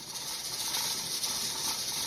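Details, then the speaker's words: Pressure canner on the stove with hot-packed chicken pint jars, steaming before the jiggler weight goes on. A steady, even hiss of steam with no sputter or rattle. Normal venting. "it's steamed for 10 minutes. I've got the jiggler on, and it started jiggling."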